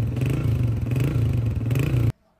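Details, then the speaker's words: 2011 Honda CG 125 after top overhaul for engine noise and smoke, oil pump checked and silencer washed; steady low single-cylinder thump at idle with no loud tapping or knock, normal idle. "काम में engine की इतनी ही आवाज़ clear हो सकती है और वो अल्हम्दुलिल्लाह हमने की है।"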